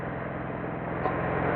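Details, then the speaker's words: Craftsman 2300-watt gas generator, stored in its box over a year, just started on choke then switched to run, with only a little regular gas in it: steady, quiet, even low hum with no knocks or surging; normal running. "It's running. Got only a little bit of gas in there, so but it runs really quiet."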